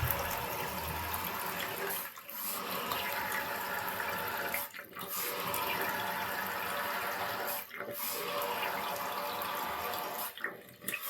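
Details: Toto 528 toilet refilling after a flush: rushing water hiss cut by repeated brief drops roughly every three seconds.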